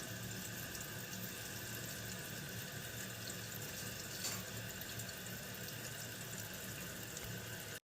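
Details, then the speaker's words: Kohler toilet with a canister flush valve, after replacing the canister seal gasket to fix a running toilet: steady hiss of water rushing into the tank until it stops. The new seal appears to hold; normal refill. "And fingers crossed it fills up. And then that will be an easy fix. It's filling up, so that's a good"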